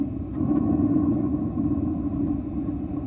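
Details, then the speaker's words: Atwood RV water heater gas burner in a truck camper, after the air mixture was opened to full air: a steady, even flame roar with no sputtering, popping or pulsing. Much quieter and running cleanly; normal burner operation. "So it sounds much better."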